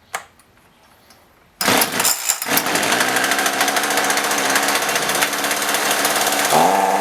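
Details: Roughly 35 cc chainsaw with 14-inch bar that won't rev and falls on its face; after a quiet pause a high raspy buzz that never climbs cleanly; bogging thought to be from a bad spark plug that still showed spark.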